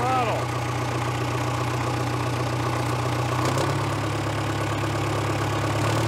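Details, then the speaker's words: 1970s Caterpillar D330C 4-cylinder diesel, 90 kW generator set, first runs after sitting 10+ years, throttle raised to wide open, no load, coolant not yet warm, slight smoke and blow-by: deep steady drone, pitch stepping up midway; smooth, even running. "wide open smoking a little bit [Music] the water's not very warm i think we'll let her cool down a little for a few minutes don't really want a runner wide open for too long there's no load on it"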